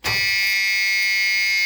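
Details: Truck with no air in the air system, engine not yet started, during LED fender turn signal work: constant steady high-pitched dash warning buzzer, most likely low air pressure. A separate fault is a bad flasher unit.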